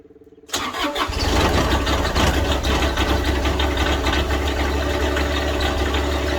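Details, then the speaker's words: Toro 7210 zero-turn mower diesel on a chilly day: starter cranks briefly, engine catches and smooths into a steady, even idle with no misses. Normal cold start; owner suspects a separate hydraulic pressure control valve fault. "little chilly out here today. Smoothing out. Little yam out diesel."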